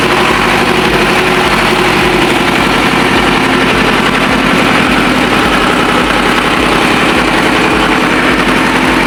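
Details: Ford 6610 tractor diesel at steady idle just after overhaul (4 new liners and pistons for smoky running) and hydraulic O-ring kit repair; steady even clatter with regular firing pulses, no misses or knocks, healthy smooth engine.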